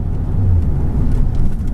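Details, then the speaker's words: Mercedes-Benz E55 AMG W210 with Kleemann 55-K2 supercharger, full throttle: deep V8 roar flat and uneven with no clean pull, hesitating; multi-cylinder misfire, owner suspected MAF sensor, traced to Bosch F5DC spark plugs. "how much hesitation is there that's my foot flat to the floor"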